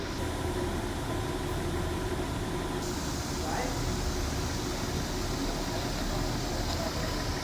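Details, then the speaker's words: Audi Q3 diesel idling with a loud, rapid, hard knocking clatter on every firing; injectors 3 and 4 are leaking because their bolts are damaged. "तीन number आणि चार number हे injector आहेत ना मित्रांनो leakage आहेत त्याचे बोल्ट खराब झालेले आहेत आणि हे लिकेज असल्यामुळे काय करत नॉकिंग करतो खूप मेजर आवाज येतो मित्रांनो"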